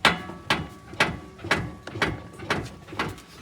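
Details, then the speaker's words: Lowered 2004 Chevrolet Astro, front end bounced: a sharp metallic clunk lands twice a second in time with the bounces. The spring, possibly a rotted or fallen-out spring isolator, or the fairly new shocks are suspected. Cause not confirmed. "I swear it's a spring I'm kind of leaning towards that myself I'm thinking it's got to be the isolator the rubber on top of the spring I think the isolator fell out"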